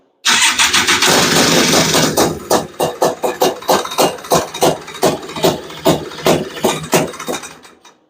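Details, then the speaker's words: Honda Odyssey FL350 with a new Lectron Billetron 38mm long body carburetor, morning start on choke, during tuning: fires, then the beat slows and stumbles unevenly and fades out; lean, won't hold idle, metering rod needs adjusting. "idle like it won't even start foreign oh yeah I'm not I'm not even going to I'm not even letting that run for 10 minutes doesn't even sound good"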